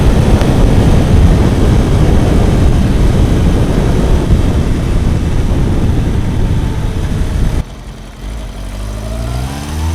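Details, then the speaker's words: Kawasaki four-cylinder bike, warm, after fixing cylinder 1 not firing (found via wet paper on the cold header; plug caps had been disturbed): strong roar held high, cut, then rising revs, pulling evenly on all cylinders; still needs fine-tuning. "na hát ennyi volt végre úgy megy ahogy ennek mennie kell így legalábbis nagyjából"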